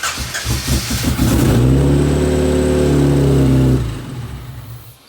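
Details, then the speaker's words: 1992 Honda Accord built turbo H22 (sleeved, Aries pistons, Eagle rods, GT3582), first starts: catches and jumps straight to a high steady hum, then cuts off; idling too high, owner suspects vacuum leak but can't find it. "now we're just getting high rev like there's a vacuum leak but also can't find the vacuum leak"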